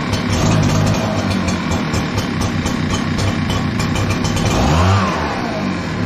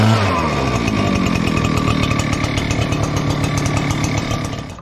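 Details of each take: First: Echo PB-9010T backpack blower, cold start after sitting overnight, choke being toggled: engine surges and sags about every 1.5 seconds, bumbling and stumbling, slow to warm up; runs fine warm, air filter good, carburetor blamed as lean. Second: Echo PB-9010T backpack blower at about 500 hours, previously running poorly when cold, after richening the carburetor a quarter turn: fires without choke and settles into a clean, even two-stroke buzz with steady pitch; running great.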